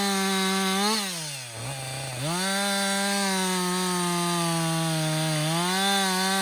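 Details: Husqvarna 562XP 60cc chainsaw, back from the shop after dealer reflashed its software for dying when hot and stumbling, bucking dead windfall about two-thirds of a tank in: crisp high revs sag into the cut and pick straight back up, no bogging; normal under load.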